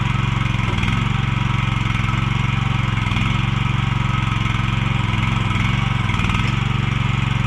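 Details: Mini excavator with pull start, repaired after being bought broken and then sitting about 3 weeks, oil and hydraulic fluid still to be checked; constant, even engine drone at steady revs with a regular beat, no knock or stumble, running pretty good.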